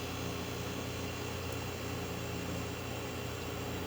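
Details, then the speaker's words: Refrigerator compressor running after faulty three-in-one start relay/capacitor (RCO 410) replaced, power reapplied; steady low mains hum with faint even tone, no clicking off or stuttering; normal compressor run, full verification takes 24 hours. "now that power is reapplied compressor is on frequency sounds good"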